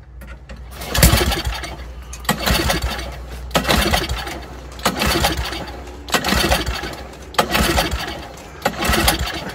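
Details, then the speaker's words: Old Toro snowblower that sat over a year, freshly fueled and primed: repeated recoil pulls, each a brief chugging burst that never catches. No fuel on the plug though fuel reaches the carburetor; a carburetor issue is suspected. "So I'm guessing we got a carburetor issue here. It doesn't seem to be wanting to."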